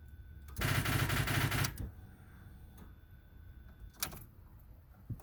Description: My vw beetle 1999 2.0 standard it wont start, I already check the battery and is find.